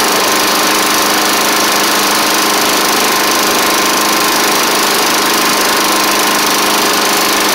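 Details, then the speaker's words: Snapper Hi-Vac push mower with a Tecumseh engine, just restarted after a carb swap and cylinder head cleaning: loud, raspy single-cylinder drone at fixed throttle with an uneven edge and faint tapping. It runs but not cleanly; an oil change is planned. "well she is running it ain't the it it didn't smoke up as bad as I thought but ma'am doesn't really sound the best either unfortunately"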